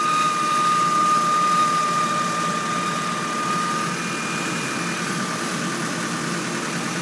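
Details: 1997 Honda Civic DX 5-speed 4-cylinder at idle: steady high-pitched whine/scream holding constant pitch, then fading; owner suspects timing, unconfirmed.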